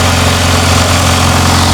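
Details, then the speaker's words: Honda Integra Type R engine previously heard knocking, started to drive out of the garage before teardown: steady, even idle with a smooth low hum and no knocking or ticking heard; normal idle. "That seemed to start just fine. I'm not hearing a lot of knock there. That actually sounds mint."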